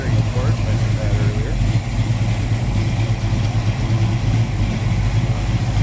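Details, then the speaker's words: 1970 Dodge Dart Swinger 360 V8 with Edelbrock Performer intake, Holley carb and aluminum heads, warm, heard at the open engine bay: deep, throaty, even idle with slight cam lope; healthy. "definitely have healthy sounding sounds good nice deep and throaty bark out of that a little bit of a cam"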